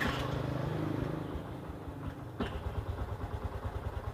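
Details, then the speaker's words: 2012 Yamaha Byson (63,750 km), cold start just after an oil change to Pertamina Fastron Techno 10W-40 car oil; after the starter catches, an even, steady low thumping idle settles with slight rattly "gemericik" noise judged no problem; normal cold start idle. "Nah, cold start ya. Nah, ini start motor. Jadi kira-kira seperti ini suaranya. Sudah mulai ada suara gemericik-gemericik ya. Tapi it's okay, gak masalah."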